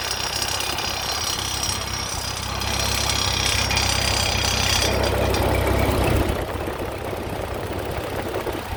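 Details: Ford 8N tractor at rough idle: loose, uneven knock about three times a second over the engine note; the cause is unknown.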